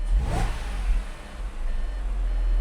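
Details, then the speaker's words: Audi S5 after a blown-engine overhaul, exhaust refitted: runs smoothly with a clean throttle blip after codes were cleared, earlier misfire gone; ticking is normal high-pressure fuel pump noise, louder with an upgraded 034 piston. "Whoa, that's really weird. It's running perfect now."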